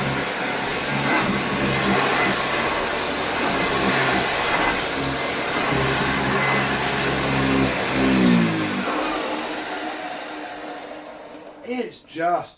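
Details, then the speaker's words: Hoover Junior 1334 upright vacuum on carpet: rough, raspy drone before spinning down, from dried-out brushroll and motor bearings. "is dried out bearings both brushroll and motor let's try some the slightly thinner pile carpet"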